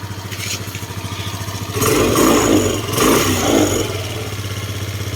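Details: Scooter that earlier stalled as its idle dropped, after tightening a loose side screw the owner suspects is the air adjustment, running about 15 minutes: even idle and two quick throttle blips that settle straight back without dipping.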